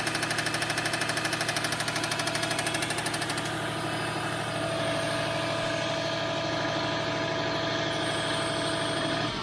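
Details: 2004 Subaru WRX, 153k miles: steady engine run with a regular tapping knock near two per second over the exhaust note; owner suspects rod knock, not confirmed.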